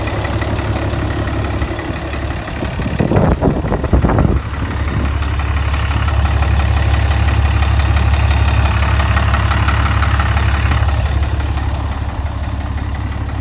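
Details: Deleted 2010 6.7 Cummins diesel idling: a heavy, steady low rumble with an uneven deep knock about three a second; the owner thinks it comes from the bottom end, source unconfirmed. Lucas oil was added after an oil change.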